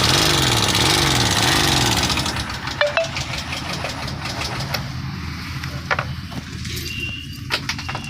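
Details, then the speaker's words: BS6 bike engine at idle after starter whine: sharp, uneven, loud ticking from the top end; top cover removal revealed a broken rocker arm ball. "देखिए दोस्तों यह रोकर का ball टूट गया है देख सकते हैं ना देखिए दोस्तों कितना जोर साउंड हो रहा है"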